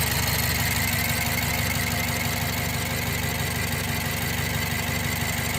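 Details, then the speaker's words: 2008 BMW 116i E81, 1.6 petrol, after a faulty injector was replaced to fix rough idle, misfiring and code 29D0: steady, even idle with a smooth regular beat and no missed pulses; the engine now runs smoothly. "now the engine is running much better now let me go at the front and show you actually it's running really smooth now"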